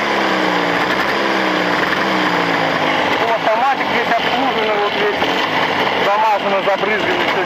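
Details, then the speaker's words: Two-stroke engine break-in at +40°C on machined Chinese cylinders: even, high-pitched buzz holding steady with no knocks, rattles or ticks; connecting rod ends, pistons, pins and needle bearings all fine, a good sign. "Между прочим, звуков не слышно никаких. Вот. Так что это хороший признак."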